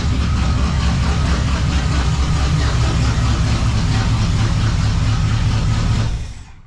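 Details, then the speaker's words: 1935 Oldsmobile hot rod, first start after sitting for many years and a full rewire: loud, deep, lumpy idle through an open exhaust, steady and even, no smoke, then shut off; normal healthy idle. "she's [Music] loud sounds good"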